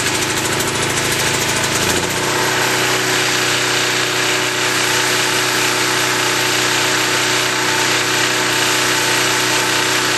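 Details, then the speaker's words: Hot-weather (mid-90s) start of a 196 cc 3250 W portable generator, not run in a while, fuel valve on, choke possibly unneeded: short crank, catches at once and settles into an even, steady run with no misses or knocks; normal start and warm-up. "so let's go ahead and turn on the fuel valve and fire it up I don't know if I'll need any choked or not considering how hot it is out here but I'll try it and see what happens"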